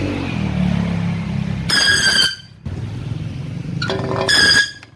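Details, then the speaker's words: Sharp 18-inch floor fan model PJ-SL181 on speeds 1–3: sharp piercing squeal bursts under a second over low motor hum; blade not pushed fully onto its hub pin and missing locking cap; fixed by reseating and capping. "พัดลมหมุนมีเสียงดังยังกับเบรกรถเลยนะเอี๊ดๆนะมันดังมาจากยังไงเนี่ยะนะ"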